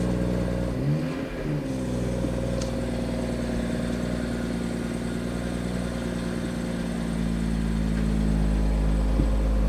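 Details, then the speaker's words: Crash-damaged, Copart-bought BMW M140i with restraint-system and daytime-light faults, first start: brief rev blip then steady, even idle hum with no knocks, ticks or rattles and no smoke; runs fine. "well it certainly sounds though it's running fine it's not making any weird noises and there's certainly no smoke coming from the car"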